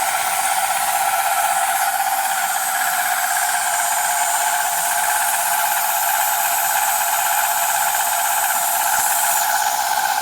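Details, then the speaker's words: Milling cut on Dickson tool holder blanks; harsh steady hissing with a ringing tone that never settles; likely cutter chatter though the cutter was checked and sharp, cause unclear. "Doesn't sound particularly good, but I'll let it carry on at that to the end, and then I think it might change the end delay when I do the next block. Although I did have a look at that and it's nice and sharp, so I'm not really sure why it's making that noise."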